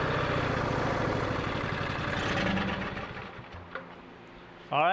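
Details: Free riding lawn mower, spark plugs refitted, fails without priming: uneven, rough low chugging for a few seconds that fades and dies; fires only on starting fluid, real cause unknown.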